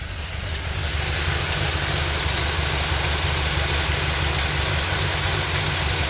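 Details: 2005 Mustang V8 with JLT cold air intake, FRPP hot rod cams, JBA shorty headers and Flowmaster exhaust: lopey idle with a sharp tick about three per second; exhaust leak suspected, not confirmed.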